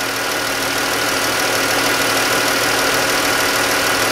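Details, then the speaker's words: 2013-type Chrysler 3.6 Pentastar V6 at idle: sharp, regular ticking about three times a second, louder on the right bank; valvetrain tick from failed roller rockers. "i'm definitely hearing some crashing around over here let's see if the exhaust i know this is boring there's definitely a tick on the they would call that the right bank"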